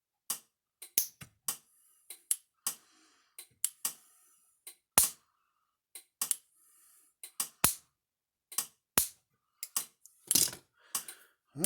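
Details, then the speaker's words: Speedrite 2400 electric fence charger after repair, putting out over 10,000 volts: spark test with sharp, loud snapping clicks at uneven intervals showing a strong spark; unit working fine again; normal fence charger spark. "We're We're getting over 10,000 volts out of it. Let's see what it's curious what kind of spark this thing would throw."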